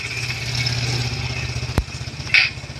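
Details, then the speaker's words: Spin dryer after adding rubber support and tying the tub, which had banged against the body: steady motor hum and even whirr with no knocking; normal smooth spin. "malagyan ng ano ng support yung pinak goma yan wala tayong maririnig na kalampag pino lang yung kanyang ikot"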